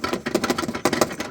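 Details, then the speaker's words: Lexus GX460, left side: quick irregular plastic tapping and clicking from a very loose interior trim panel; fix planned with new pins or silicone along the edges. "Well, finally, long story short, that's what I'm hearing. And it's basically, this is super loose."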